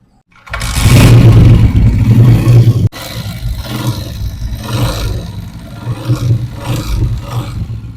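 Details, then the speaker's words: 2024-model 125cc bike started and idling shows a light, fairly even tapping about four per second over the engine note; a loose magneto flywheel rotor pin knocking, to be fixed without opening the engine. "आवाज़ सुन रहे हैं? कितनी खतरनाक आवाज़ है।"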